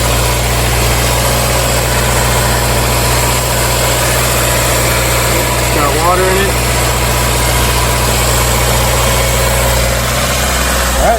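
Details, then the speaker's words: 2016 Subaru WRX bought as front-end-damaged salvage, running after the fuel pump started working: smooth, even idle with a steady low hum and no misses, knocks or ticks; the engine runs healthy. "own runs actually pretty good that's always a great sign guys"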